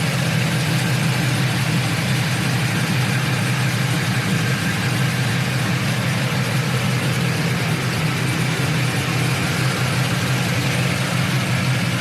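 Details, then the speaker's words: 1999-06 Chevrolet Silverado/GMC Sierra V8 with BTR Stage II truck cam, head gaskets, headers, single-in single-out Flowmaster exhaust: deep steady rumble with slightly uneven loping beat, no knocks or ticks; normal cammed idle. "hear that crunchiness oh man that's only single in single out flowmaster effect imagine if i ran through duels but this thing sounds killer"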